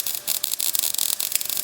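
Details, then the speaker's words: MIG welding thick steel for custom running board drop-down supports on a 1956 International COE rat rod: hissing arc with irregular crackle over a gap, softening to a smoother fry as the bead fills it; normal weld, no burn-through. "There's a bit of a gap here. So, that's the sound you're hearing."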